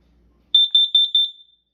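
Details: Kidde KN-COB-DP2 smoke and carbon monoxide alarm test with AA batteries: four short shrill high-pitched beeps in quick succession, about five a second, in a quiet room; normal test tone.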